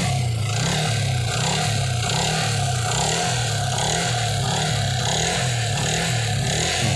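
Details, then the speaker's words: Yamaha Vixion motorcycle with radiator coolant mixed into the engine oil (milky oil), possibly from faulty water pump or gasket: coarse, lumpy, uneven rumble; engine bearings found worn from coolant contamination. "itulah kawan-kawan suaranya yang disebabkan oleh sirkulasi air yang tidak tidak sempurna bisa kita katakan tidak sempurna ini Airnya sudah masuk ke dalam mesin menyebabkan suara seperti itu"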